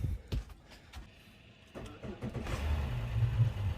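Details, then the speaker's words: Regal boat engine at 138 hours, in the water after its bad engine battery was replaced: a few clicks and a short crank, then a quick catch and a steady, even rumble while warming; charging, good start. "good fire right up make sure she's peeing and good it looks like we're warming up here"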